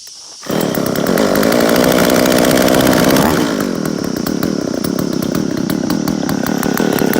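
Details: Jonsereds 520SP chainsaw in very good condition, started on choke with chain brake on then choke off: two-stroke catches, holds a fast even crisp high rev then settles slightly lower; runs really well.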